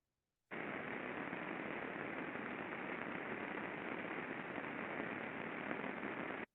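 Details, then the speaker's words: Pulley-side rolling bearing heard via ultrasound before lubrication: loud, steady rushing hiss from heavy friction due to under-lubrication; greasing cut the level from 53 to 36 dBµV and made it much smoother. "Lots of friction, lots of noise afterwards. Much smoother."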